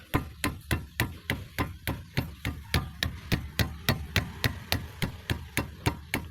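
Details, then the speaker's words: Front left wheel of a 2005 Toyota Vios/Limo Gen 1, retested after repair of a metal-on-metal clunk over rough roads: steady dull thumps from striking the wheel, with no metallic knock behind them. Clunk gone after repair. "Dia udah enggak enggak bunyi."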